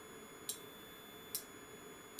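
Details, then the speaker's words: Aircraft radar altimeter under a bench test with the input voltage applied: three crisp, sharp relay clicks roughly 0.85 seconds apart over a quiet hum; the unit works and the relay switches normally. "Ok so this thing works! You can hear maybe the relay."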